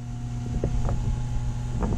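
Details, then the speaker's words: Taco circulator pump in a heated-driveway snowmelt hydronic system filled to about 50–55 psi and purged: steady low hum with faint clicks that changes pitch when pushed; owner suspects vibration through the copper piping, not air. "the part i'm not sure about is the hum you hear the humming the i can hear that this pump [Music] it does change pitch when i push on it so it might just be the vibration through all the copper i don't know i don't i don't think that's air"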